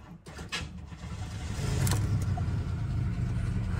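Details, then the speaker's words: Buick Riviera, ex-flood car listed as a non-runner, about 96,000 miles: brief cranking, then engine catches and settles into a steady even low rumble; starts and runs fine. "they had this listed as a uh as a non-runner look and non-runner what it fired right up it fired right up are you serious"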